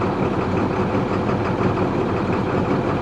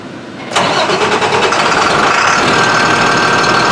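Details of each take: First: DT466 diesel beverage truck on a cold morning after the fuel leak was found: it started much better and now gives a steady, smooth low diesel idle rumble with no misses, stumbles or knocks. The fuel leak is believed to be the cause; valve replacement is pending. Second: Beverage truck with DT466 diesel that starts hard after sitting overnight: the starter grinds for about five seconds at a steady rapid beat, then dies away. Mechanic suspects air getting into the fuel rather than running out.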